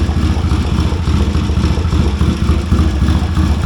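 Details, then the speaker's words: 1970 Triumph T100C twin, revived bike with straight-through pipe: loud, lumpy but steady idle thumping about three times a second, no knocks; healthy, with an oil drip underneath. "Hey, it runs. Sounds like a Triumph. Got a drip of oil underneath it already."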